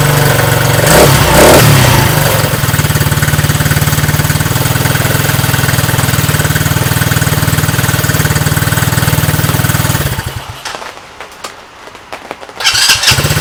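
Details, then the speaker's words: Coleman Scrambler 125 Chinese ATV, previously a no-start despite having spark, after a new carburetor, new battery and draining the old gas: fires and settles into a quick, even putter with no stumbling; healthy start and idle. "Less than $25 for a carburetor, and put a new battery in it. Starts up and runs fine."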